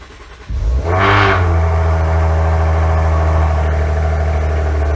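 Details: 2016 Maserati Ghibli S cold start: starter catches fast, revs flare briefly then drop to a steady, even high idle; clean, healthy cold start.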